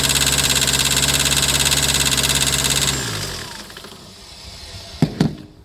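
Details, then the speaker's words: 2008 Citroën Nemo diesel van catches and runs lumpy, shaking about three beats a second before dying away; glow plug light on; rough running after start blamed on excess fluid in the combustion chamber. "So the engine starting, but it's still shaking because there are some residue on the combustion chamber. That is too much fluid on the combustion chamber. But it will back to normal once it's dry."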